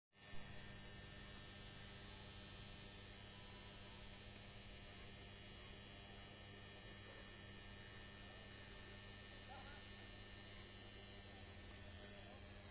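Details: Loud, steady electrical hum from a distribution transformer, holding one low pitch without change; overload and maintenance problems are suspected as the cause, not confirmed.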